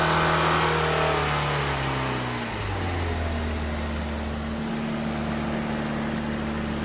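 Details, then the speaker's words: Hillman Imp engine on a dyno, warm, after cylinder head gasket replacement, during a power run: revs drop then settle to a steady even drone with dyno-shaft roar over it; smooth firing, healthy running. "You'll hear a lot of row. That's from the dyno shaft that connects it to the dyno."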